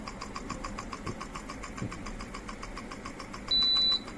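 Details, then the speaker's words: Ceiling fan converted to BLDC kit motor, run without blades: fast even ticking (~5/s) over faint hum plus a short beep at high speed; without the blade load it speeds up then drops and won't run correctly. "அந்த leaf போடாதனால அது speed எடுத்துட்டு தான் low ஆகுது. பாருங்க, speed ஓடிக்கிட்டு இருக்கு பாருங்க. High speed."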